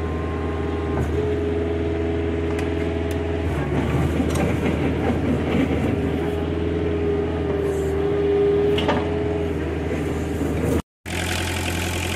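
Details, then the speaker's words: Small Kubota diesel after sitting, just started; injection sometimes sticks at first start and blows fuel smoke before clearing: smooth, constant low drone with no knocking or stumbling, a normal idle. "That little Kubota purrs like a kitten."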